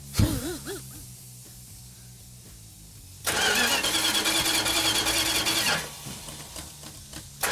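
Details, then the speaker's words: 1972 Plymouth Duster 340 4-speed on first start attempt, cold, distributor position not yet set, fuel system empty: steady starter churning for about two and a half seconds with no firing; cranks but won't start because there's no fuel yet. "Mark, it's not firing. Well, there's no fuel in it. I was just going to crank it and let it build the fuel up."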